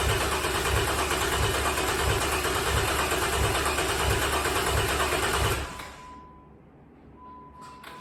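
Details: Rebuilt bored-over 3.9L V6 in a Jeep JK: steady run with an even, smooth pulse, no knocks or ticks, then shuts off; healthy.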